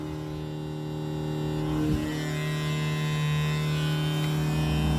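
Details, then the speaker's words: 1979 Oldsmobile Cutlass Supreme, 406 small-block, with failed fuel pump switch bypassed by jumping wires; steady even electric hum, fuel pressure restored; electric fuel pump running. "we got fuel pressure look at that so my switch went bad dang gummit"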